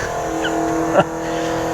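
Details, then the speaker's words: 1984 Chevy Corvette with dual 4-barrel carburetors and nitrous, parked about 20 years, after a new fuel pump: engine stumbles, then one sharp backfire through the front carburetor; fuel pressure low; owner says both carburetors need rebuild kits. "Uh, she backfired strong through that front carburetor there."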